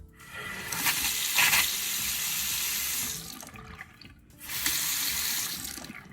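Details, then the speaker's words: Two-handle Delta bathroom faucet: the cold handle had squeaked and was hard to turn from a worn seal; after a repair kit is fitted, water runs in two bursts as the handle opens and closes, with no squeak. "no more squeaks it moves effortlessly effortless effervescent listening so I'd say it was a quick easy fix"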